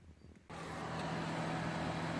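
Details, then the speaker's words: Whirlpool EVL209NBTQ freezer after reinstalling the repaired evaporator fan: steady low hum and smooth airflow, no rattle or scraping; blade briefly touched the housing then settled; running quietly and normally. "so I put it back in and it's very quiet it did feel like the fan blade was touching the side of this thing for a little bit"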